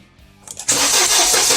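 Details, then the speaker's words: Mercedes SLK230 that won't start, during spark troubleshooting: the starter cranks at a quick, even beat but the engine never picks up; a no-start traced to missing spark on one ignition coil, and spark was then restored on that coil. "Okay. So we got a spark on that coil now."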